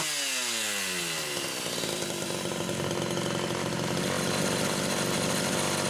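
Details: Homelite Super XL chainsaw test-running carburetor number 2 after its Welch plug was replaced; both mixture screws had been over 3.5 turns open. Revs climb smoothly in under two seconds, then hold a steady, clean high scream without burbling or hunting. Judged good.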